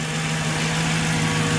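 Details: Mercedes C55 AMG at steady, even idle after a custom fuel filter setup, in neutral: smooth low hum with no knocks, misses or stumbles; fuel pressure around 59, just under 60; engine sounds healthy.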